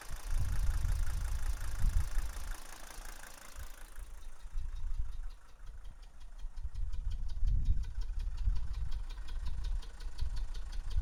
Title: Mercedes W123 300D strange noise from exhaust